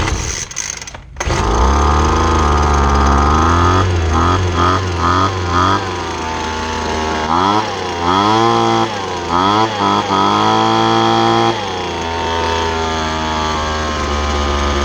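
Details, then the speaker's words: Five-year-old Poulan Pro two-stroke leaf blower, run only on ethanol-free gas, after carburetor adjustment, primed and started on second pull: strong buzzing note rising and falling cleanly with throttle blips; runs healthy. "so it started on the second pole not bad for a five year old blower"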